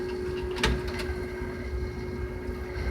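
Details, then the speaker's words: Namco 246 arcade board (Soul Calibur 3 cabinet) not reading dongle: with IDE cable removed the DVD drive gives a faint steady whirr, thin constant tone and a couple soft clicks, spins briefly, then stops. "you can hear it running and then it just you know flashes a couple times you can hear it spinning and then just stops"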